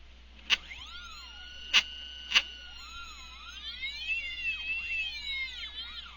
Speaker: As you can hear from the motors, they tend to whine out a bit as they go, and these are bolted to a steel plate, so you'll hear a bit of rattling going on in the background as they resonate when they hit the resonant bands.